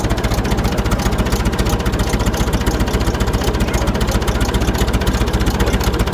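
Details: Massey Ferguson 65 diesel tractor, after oil pan repair, runs with a steady, even beat of about four firing pulses a second and a deep, uniform exhaust note, no knocks: normal running.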